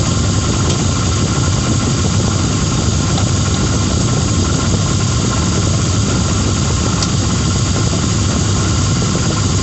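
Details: 2006 Lincoln Town Car engine just started cold, idling; loud whirring, busy rattle at the front with faint occasional ticks, audible outside the vehicle, blamed on a bad harmonic balancer after coil packs, plugs, pulleys, alternator, belt, oil and cam sensor changes didn't help.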